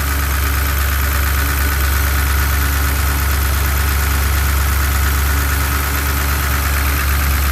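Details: 1967 Chevrolet C10 pickup V8, first start after camshaft change, good oil pressure, idle first too high then adjusted: deep steady rumble with even lope and no ticking or knocking; idling cleanly, slight smoke.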